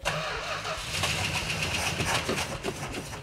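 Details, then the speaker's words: Petty Blue Plymouth Superbird, V-code six-pack car now missing its original 440 six-pack, unrun since the 1970s: starter turns the V8 over steadily, then a few ragged firing pops catch briefly before dying; engine turns freely, choke opened. "not bad not bad that's great try her again that's amazing that is amazing can't keep a good Mopar down"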